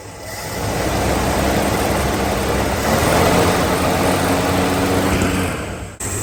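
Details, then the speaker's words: 1965 Plymouth Barracuda, original 273 V8, 138k miles, 4-speed, off road since mid-90s, used fuel pump fitted: catches into uneven loping idle with stumbling beat like a dead cylinder; misfire, modest compression, burning oil, needs tune-up. "yeah this thing sure sounds like it's down a hole it sounds to me like it's cranking pretty evenly also like there isn't an incredible amount of compression in this engine but it should be enough to do things"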